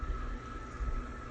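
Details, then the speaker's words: Old ceiling fan running on high, forward, blowing down: steady thin whine over low rumble; bearings likely dry, not greased in years; dry bearing noise. "kind of Well, that's a sign of the bearing is probably dry."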